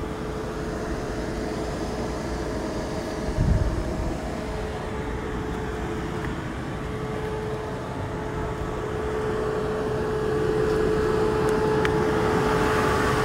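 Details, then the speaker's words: Tesla on a Hawthorne, CA V3 250kW Supercharger, started at 4% battery and charging near 250 kW: a steady fan roar and hum that builds louder. This is the normal battery cooling working hard during peak-rate fast charging. "now the charge is getting really really loud again like last time I don't know if you can hear it"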